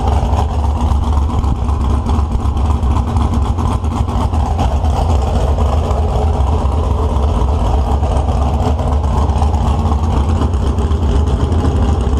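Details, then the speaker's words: 1970 HEMI V8 on an engine stand, start-up, possibly going in a Cuda: deep, loud, steady rumble with an even firing beat, no knocks or misses; sounds really good and strong. "Well, that was my buddy John's HEMI motor starting up. That was the first time I got to hear it, and I got to share it with you guys at the same time I did. So it sounded really good and really strong."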